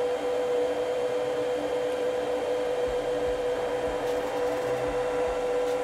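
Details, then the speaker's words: Small cooling fan on top of the inverter of a Gatton CNC with 110V 1.5kW water-cooled spindle: steady even mid-pitched hum with airflow hiss, no rattle or wobble; running normally. "that's the sound of the fan it's just the itty-bitty fan that's on the top of a invertible"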